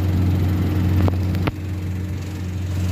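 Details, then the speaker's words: Car idling after adjusting and tightening the clutch cable to cure an intermittent whistle that vanished when the clutch was pressed: steady low even hum, no whistle, a couple of brief handling knocks; normal idle. "So far nawawala po yung sound po na naririnig natin kanina."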